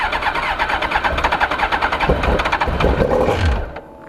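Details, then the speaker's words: 2002 Suzuki GSX-R 1000 first cold start after yearly maintenance (tank rinsed with vinegar, pump cleaned, new K&N air filter, new NGK plugs, fuel primed): cranks, fires on all cylinders, pulses evenly with light blips, spits out some nastiness; clean cold start, held near 1100 rpm. "uh she's alive she is live boys and girls pooped out some nastiness cold as can be but she's running ha ha"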